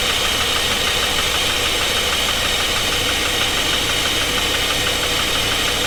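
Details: 2016 GMC Sierra 2500 6.0 V8 bought running at auction, now run with all injectors unhooked, one side without spark and the top end open. Steady light metallic tapping over a loose, uneven idle. Engine knock of unclear cause; the owner leans toward the lower end.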